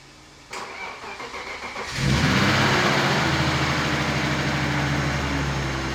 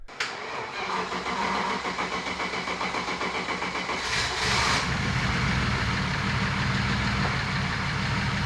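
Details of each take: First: Turbo BMW E36 after an engine-bay fire while drifting, ECU repaired and heat protection fitted; brief cranking, clean catch, steady even idle without stumble or misfire: normal start and idle. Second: Turbo BMW E36 after an engine-bay fire while drifting and a replacement harness; engine settles into a lumpy uneven idle, stumbling about four times a second. Misfire on cylinder 2, not the plug or coil.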